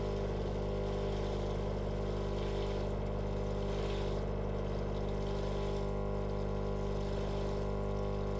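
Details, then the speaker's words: Indesit washing machine that stopped draining and left the drum full of water: a loud, steady buzzing hum with a fast faint rattle from the drain pump, damaged by coins and tokens lodged inside; it still manages to drain. "donc la bombe où j'ai mis un petit saut pour équiper la flotte et entendant le petit bruit de la pompe défectueuse"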